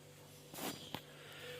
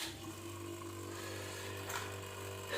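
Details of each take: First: Whirlpool refrigerator that hummed loudly from the compressor, after repair, recharge and rewiring the new compressor's connections: quiet, steady low hum running smoothly with no extra noise, a brief rustle and click. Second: Whirlpool refrigerator compressor, run directly: loud steady low hum, humming terribly; technician suspects clogged filter or compressor wear, replacing compressor.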